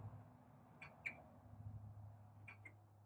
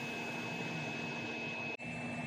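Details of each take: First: CD3 Systems wayside solar unit vacuum will not start: vacuum light blinks at 2 Hz with sharp paired clicks over a low electrical hum because the full-tank float switch has tripped. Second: Vacuum unit running after bypassing the float switch that kept shutting it off: steady even roar with a fixed high whistle and low hum, one brief dropout; vacuum motor operating normally, pulsing at about 1 Hz.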